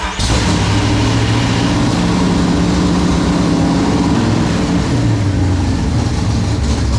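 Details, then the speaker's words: 1971 Mustang with a 347 stroker and 5-speed manual swap, starting after the clutch work: catches and settles into a steady, even, deep idle with no misses or knocks; healthy idle. "actually sounds pretty good like that at idle anyway"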